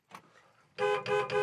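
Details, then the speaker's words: 1966 Ford Mustang K-Code, 347 stroker V8, checked parked before starting; three short, clear honks with steady bright tone and clean cutoffs; horn works normally, heater fan also works. "horn Works heater fan works"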